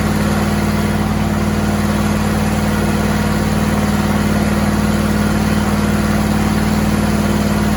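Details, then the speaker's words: John Deere and Suzuki Frankenstein outboard, restarted after the bolt holes were plugged; steady even low hum at idle with no puffing, popping or ticking, much quieter than before. "Torque torque torque torque torque. Nothing but torque. That sounds so much quieter."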